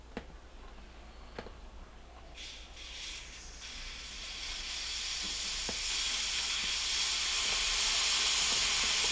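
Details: Whirlpool ABB2224WEB2 refrigerator compressor replacement: steady airy hiss building and holding as the refrigerant line is cracked open to purge air after brazing, tank supplying pressure.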